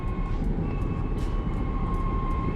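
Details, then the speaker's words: 2016 Chevy Traverse driving down the road: heavy low road rumble with a steady thin tone, tires squalling as the owner reported. "Customer states, "My 2016 Chevy Traverse sounds like the tires are squalling going down the road.""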